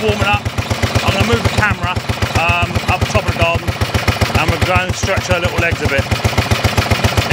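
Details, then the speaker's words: 1930s Dennis Z-type 30in mower, barn-stored for years, after points and carburettor clean, warming up with choke off and no exhaust fitted: sharp, loud even cracks about four a second from the open port. "total choke off and now girl warm up wow what a noise that's a serious noise"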